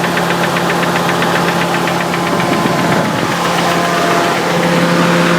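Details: Nissan 300ZX with a bottom-end rebuild three years ago: steady, sharp knock about four per second over an even idle, appearing after a short vigorous motorway run; no oil smoke, revs freely; oil pump suspected as pressure reads erratic.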